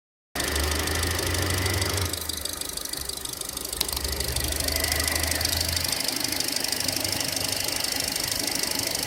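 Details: 2014 SsangYong Korando G20D petrol, 33,000 km, chain replaced under warranty two years ago, oil change didn't help: steady fast ticking knock at idle about three a second; owner suspects hydraulic lifters.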